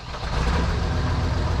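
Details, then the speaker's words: Diesel engine on a New Holland TS115A tractor right after the injection timing was reset: starts a little rough for a moment, then fires right up and settles into a steady, even low rumble with no smoke. An unidentified ticking remains. Normal running after start. "little rough at the start, but fires right up. Doesn't sound bad. Not smoking."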